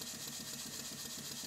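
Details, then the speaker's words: Model Stuart beam engine running at high speed on compressed air after minor surgery and valve timing correction (now admitting before top dead centre): soft, quick, evenly spaced chuffs, no hesitation; slide valve imperfect but engine runs in harmony, running well. "that seems to be running quite well"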